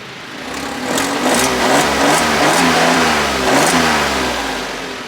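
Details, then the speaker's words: Auction non-runner with paddle shifters, brake and airbag lights on, revved after being put in gear with no jerks: engine rises smoothly through blips and settles, no knocks, rattles or grinding; no mechanical issues heard. "I don't hear any mechanical issues none of course it could happen you know during the drive"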